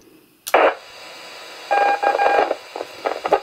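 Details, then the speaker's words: Yaesu FT-817 transceiver on VHF receive, low volume turned up: crackling bursts with a steady mid-pitched whistling whine through the audio, cause not yet found; owner plans external speaker, headphones, factory reset, other mic and power supply. "we thought it was okay it's not now i can hear that crackling coming through and whining sound"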